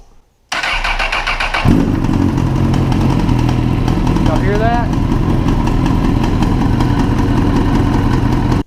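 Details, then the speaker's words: 2012–2013 Honda CBR1000RR four-cylinder motorcycle, cold start before APE manual cam chain tensioner install: cranks and catches, loose popping slap through the idle; cam chain slack, runs fine otherwise. "can hear it when it initially starts up like that that pop out pop out that slapping noise"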